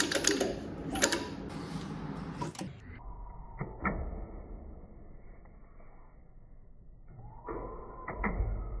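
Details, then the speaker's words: Nova engine turned slowly by hand after fitting a new upper and lower timing set, dampener and chain damper: sharp, uneven clicks and clacks about every second in a quiet room. Mechanical clatter, cause still unknown; new timing set made no difference. "I put on a chain damper I caught on a new timing set that's upper and lower gear as you just saw and I still have the same issue"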